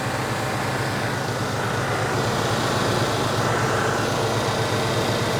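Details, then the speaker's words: 1989 Chevy K1500 idling with air conditioning on and strong airflow across the radiator: steady even idle with constant fan and compressor hum, compressor no longer cycling off from high-side pressure spikes; normal idle. "so it's very important if you're doing air conditioning work you need to make sure your cooling system especially the air going across the radiator is where it's supposed to be"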